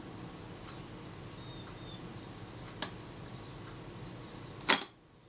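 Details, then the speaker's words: Kodak Retina Reflex type 025 after the release adjustment was moved about one turn, fired very slowly. A faint tick, then a crisp, clean snap as the shutter fires and closes. The release sounds much more like normal after the two-stage release fault. "that sounded much more like it i think we're in business"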